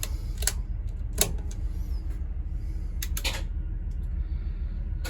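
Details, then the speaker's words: Budd RDC 6148 rail car, A end engine controller powered up after repairing a faulty motor control card and EFCO switch: sharp uneven relay clicks about one a second over low hum; relays and fuel solenoid picking up normally. "should have watched clicking and that's a good thing"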